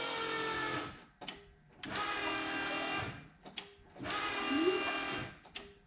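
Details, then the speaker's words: 1990 Ford Mustang GT, turbo 363 stroker, key cycled before first start after a rebuild: short electric buzzing bursts as the fuel pump primes the rail; no fuel smell, priming normal. "Probably hear it going through the rail. I don't smell gas, so that's good."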